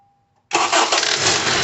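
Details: 2012 Honda CR-V start-up: engine fires and settles to a rough loud run with a knocking slap from the upper engine, seemingly valves, VTC actuator or timing chain, actually caused by a badly worn, damaged serpentine belt.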